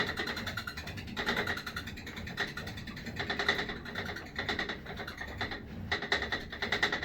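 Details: Sole E25 elliptical in use, quiet room: repeating dry creak each stroke, about twice a second; persists after greasing handlebar and foot-bar joints and lubing rails, and when flywheel spun alone; owner suspects inside the flywheel.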